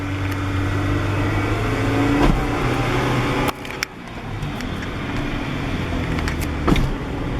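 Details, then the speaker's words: 1998 Acura Integra while driving: road and engine drone broken by sharp, irregular clunks with bucking, worst when disengaging the clutch and when turning. The axle is already replaced; the owner suspects the rack or steering play. Cause not found. "I know if anyone Weaver hear that but it's up it sounds like two pizzas cluckity-cluck you know there it is"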